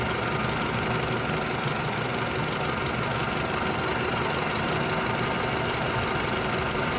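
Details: 2009 Toyota RAV4 idling after the upper timing chain guide was replaced to fix an engine tapping noise: steady, even idle with a faint busy top end and no distinct tapping; engine sounds healthy.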